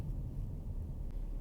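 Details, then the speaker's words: Car cruising on the road during a short drive before an oil change, recorded by an in-car microphone: steady low drone under the road rumble with no knocks or ticks; a humming wheel bearing. "ten mikrofon dość dobrze zbiera to jeszcze może słyszycie jak łożyska łożysko w kole"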